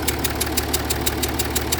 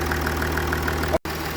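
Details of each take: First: Jaguar XF S 3.0 diesel idling: sharp even chuff about three times a second, changing with revs, from combustion gas leaking around an injector seal, with exhaust fumes and smoke under the bonnet. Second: Jaguar XF S 3.0 diesel, after fixing a tapping/chuffing noise and under-bonnet smoke with new injector washer: even diesel clatter with light regular tick, no chuffing leak; normal idle after repair.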